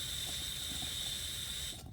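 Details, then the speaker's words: Coleman canister on a Coleman Peak 1 stove, valve opened without lighting: steady even high hiss until shut off — normal gas flow; canister and stove both fine. "So there's nothing wrong with the canister. There's nothing wrong with either of the stoves."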